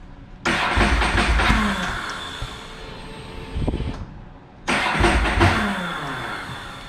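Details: Ducati 999 cold on partial then full choke: two long cranking bursts with sputtering catches and a backfire but no steady idle; hard starting, loose battery cables after a battery replacement suspected.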